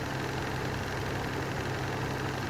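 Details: Lanson Style 3 exhaust fan that needs new bearings: a steady rough rumble with a gritty, uneven rasp under the motor hum, pointing to dry, worn fan bearings.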